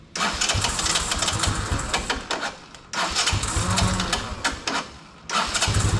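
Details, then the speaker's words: 1982 Honda ATC 200 Big Red after years of storage, just started in neutral, low range: fires evenly through throttle blips, rising and dropping back cleanly, no knocks or misses, quiet; carb still needs slight tuning; normal running. "We have to tinker with the carb just a little bit. But so far it runs nice and quiet, doesn't."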